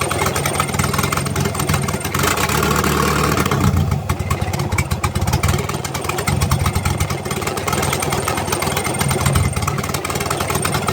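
Engine idling with a steady low rumble and no ticking or puffing from the exhaust.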